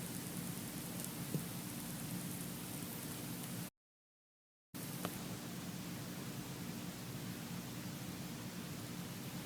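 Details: iPhone 4s, 5, 6 and 6s recorded in a quiet room with volume boosted: a faint, steady white hiss with no clicks or buzz, the normal processor and audio circuit noise all these phones make.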